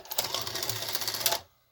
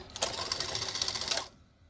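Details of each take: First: 1984 Sanyo VCR 3 Beta VCR on eject; short whirring run of about a second and a half stopping abruptly, tape unspools weakly as transport returns; owner suspects a worn idler and plans to gum it up or add an O-ring. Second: 1984 Sanyo Beta VCR (Model VCR 3) during repair testing: brief busy mechanical whir and gear clatter for over a second, stopping cleanly; cassette loading works, though play, fast forward and rewind still only click.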